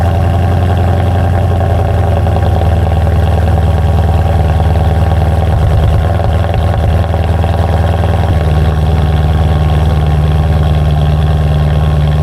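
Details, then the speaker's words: BMW M3 after replacing faulty passenger-side pre-cat oxygen sensor (P2626 cold-start issue): deep, even idle holding steady with no stumbles or misses; no longer breaking up, normal idle after repair. "I mean, it sounds better. It's not breaking up like it used to like crazy like it used to do it all the time for like damn near a few minutes."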